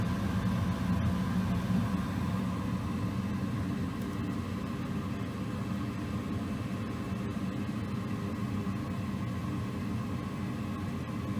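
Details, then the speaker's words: Goodman gas furnace firing from the thermostat after gas valve replacement, blower running through ceiling diverters: soft steady burner roar with blower hum underneath, no pops or rattles; normal burner and blower operation. "should be good all right we do have the blower on too i can hear it up there going through that uh whatever you call those things diverters"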